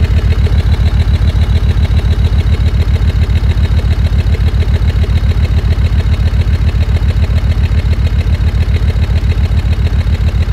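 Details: Land Rover Discovery 2 Td5 diesel idling below operating temperature: uneven chuffing lope at about 3.5 beats a second. Temporary misfire that eases as it warms; owner suspects ECU fuel cut or cold protection.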